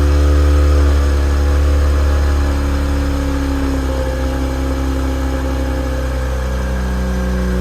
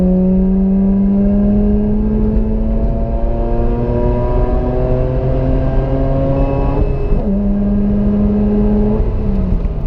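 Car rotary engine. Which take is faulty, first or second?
first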